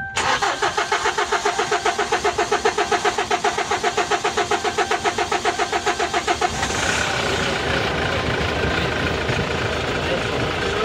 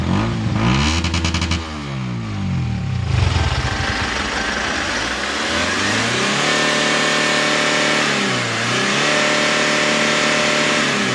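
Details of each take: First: Kia K2500 with heavy white smoke at start: steady starter cranking for about six seconds before it catches and runs rough; hard start from a leaking injector. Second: Kia K2500 diesel after repair of white smoke on hard start: revs rise and fall cleanly with smooth pitch sweeps, no stumbling or misfire; normal revving, no smoke or lag afterward.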